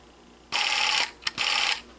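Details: Battery-powered Sears Easi-Load Super 8 film camera recording: two short, bright, even bursts of whirring, each about half a second, with no catching or grinding; the film drive runs normally.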